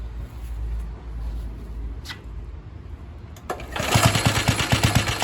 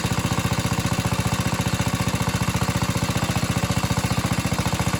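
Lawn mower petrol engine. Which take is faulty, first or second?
first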